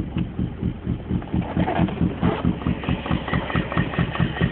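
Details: BMW E34 idling: uneven idle loping about twice a second with dull knock from driver's side of engine, days after intake manifold and throttle body gaskets replaced; owner suspects debris in cylinder or gummed plugs, unconfirmed.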